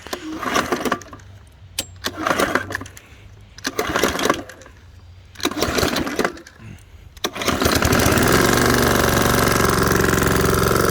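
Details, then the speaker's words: 2020 PowerSmart self-propelled mower run nearly out of oil until it locked up: several heavy recoil pulls, then it catches and runs rough with a rod knock. "yeah that's definitely got a rod knock there"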